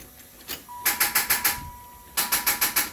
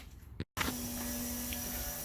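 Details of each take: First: Turbo LS-swapped Cadillac Fleetwood, first start attempt on a jump box, then planning to jump from another car: two bursts of quick, even cranking about six pulses a second, never catches; crank no-start, cause unconfirmed. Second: Turbo LS-swapped Cadillac Fleetwood, first start attempt after filling trans fluid and oil, jump box connected: switch click then steady mid-pitched electric hum holding level; normal fuel pump priming.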